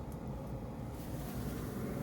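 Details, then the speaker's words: 1973 Dodge D100 heater blower fan, working again after its ground was reconnected, running on high at about 12 to 14 volts: a steady low whoosh of air with an even motor hum, no squeal, rattle or dropouts; working properly. "A, that's good. That's really good. That's at 12 volts. Let's see. It blows at 14."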